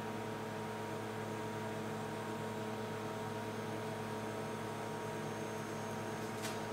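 A constant low hum with a steady whine above it, no change over the whole stretch; the fridge compressor running loud, cause unknown.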